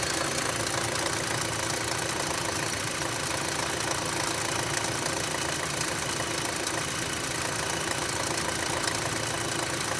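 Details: 2006 Audi A3 2.0 idling with a fast, fairly regular ticking knock, about three per second, over a steady hum, persisting after the oil sump was cleaned; cause not yet found.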